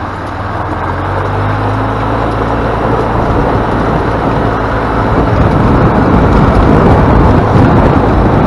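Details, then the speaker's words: Flood-damaged EZGO golf cart after new micro switch and tune-up, test drive: steady even engine drone swelling smoothly with speed under road and wind noise, no knocks or misses; normal after repair. "all right guys so there you have it back to operating like it's supposed to"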